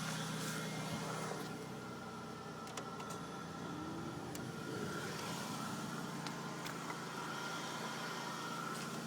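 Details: 2001 Impala engine bay, driver's side: steady high-pitched whine over the idle hum, worst after a cold start or overnight sitting and reproduced with AC on; worn bearing in a radiator cooling fan, cured by replacing the fan unit.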